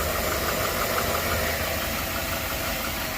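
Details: 2013 GMC Sierra V8 after leaking power steering lines replaced: even, steady idle with a smooth ticking rhythm and no misses or heavy knocks; engine idles normally.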